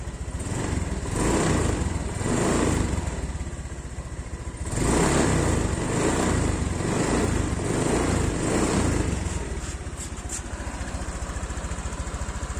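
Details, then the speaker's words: Honda Vario 125 (old model) single-cylinder scooter run for 1 year 9 months on 100% cooking oil as engine oil, idling before its oil change. An even, steady beat with gentle swells and no knocks: a normal idle. "Lancar, kan, Mbah? Kondisinya stabil dan lancar."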